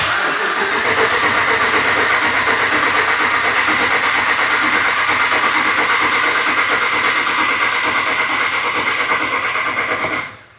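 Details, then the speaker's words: 2014 Ram 1500 4x4 5.7 V8 after oil pan replacement, cranked with the pedal floored so it won't fire, to build oil pressure first; steady even cranking about three turns a second, engine never catches. "okay I'll take my key foot off the gas I just didn't want to fire it up with no oil pressure"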